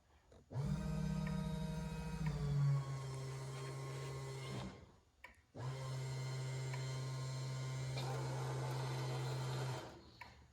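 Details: 2008 Prius with a 5.3L LS V8 swap, first start-up. The fuel pump's ground wire had never been connected; with it grounded and the relay jumped, the pump gives two steady runs of even, constant-pitch electric buzzing hum: normal fuel pump running.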